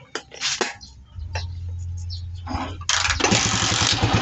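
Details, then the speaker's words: Honda TMX 155 single-cylinder motorcycle after repair of loose rotary and loose clutch damper that caused strange noise: handling clicks, low hum, starts and settles into steady even smooth idle. "Ayan oh. Napakapino na ng motor ni boss ah."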